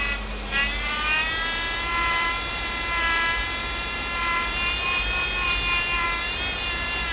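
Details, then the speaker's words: 2008 Chevy Impala 3.5 V6, noise persisted after power steering pump replacement; high steady whine climbing with the revs and holding. Power steering pump whine from aerated fluid, air bubbles visible in the reservoir. "When you look in the corners, there are little bubbles. See it? Reflecting off the light? Those are air bubbles. That's what's giving you that noise."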